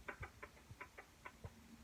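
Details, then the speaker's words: Kawasaki Brute Force 784 big bore (820 pistons, 650 bottom end) ATV: sharp, uneven top-end ticks over the engine hum; owner suspects a timing chain tensioner, scored cylinder or lower rod bearing. "so it's either a chain tensioner or something maybe my tensioner broke or it is i guess it could be a lower rod bearing too but it sounded like it was in the top end"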